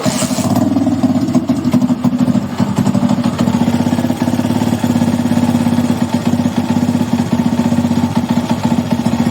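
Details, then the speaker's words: Honda Titan motorcycle single-cylinder engine after replacing failed crankshaft bearing that caused strange noise: steady even idle thump, no knocking or grinding; fixed. "tá solucionado agora é só dar uma lavada aí dar uma higienizada no motor por fora e tá pronto era só o rolamento do vira"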